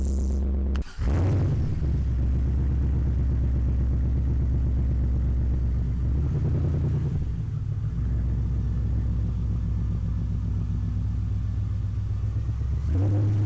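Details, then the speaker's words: V8-swapped Nissan 240SX after alternator fix and a possible fuel-line air issue, warmed up to operating temperature: deep, even idle rumble with no stumbles or misses; engine running fine. "all right we're up to temp and everything's still running so that's a good sign yep seems like everything's good"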